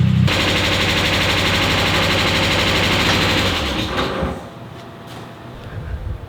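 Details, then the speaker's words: NA Mazda Miata first start after sitting over three years, fuel drained, oil changed, battery boosted: loud rough start with hard rhythmic rapping about four per second, fading after a few seconds, engine smoking; knocking, cause unclear. "Sounds a little bit knocky, which I don't like to hear."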